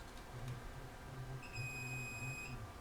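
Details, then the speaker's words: RCI-2995DX CB radio not transmitting after RF from another transmitter entered the antenna jack: steady continuity beep on a transistor's base-collector junction, reading zero in both directions; shorted transistor junction. "if I go to The Collector that shows good you hear that tone see that zero that shouldn't do that and that does that both"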